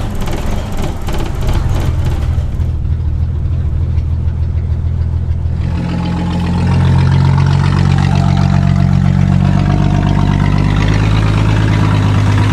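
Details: 1961 Ford Falcon before exhaust repair: the muffler has rusted off and the exhaust manifold is barely hanging onto the cylinder head; raw, loud, unmuffled blatting rumble that grows louder; exhaust leak with a missing muffler.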